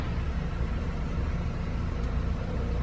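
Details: VW Polo at idle after a new control unit was installed to cure an electric radiator fan that would not switch off: steady low idle rumble with no fan whir on top; fan correctly off.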